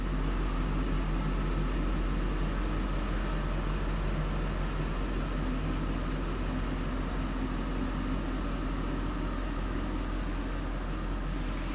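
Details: Hummer H2 6.0 L V8 after broken exhaust manifold bolt repair with clamps: deep, even idle with smooth low rumble and no ticking or puffing from the manifolds; sounds healthy.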